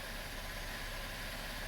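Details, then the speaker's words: 2012 Chevrolet Impala about three months after cleaning the upper intake manifold and intake valves and replacing fuel injectors and harnesses: steady, even idle hum with no stumbles, zero misfires, smooth normal idle. "I wouldn't have called it a snowstorm, but a pretty good snow event, and zero misfires. You can hear it now. Smooth as butter."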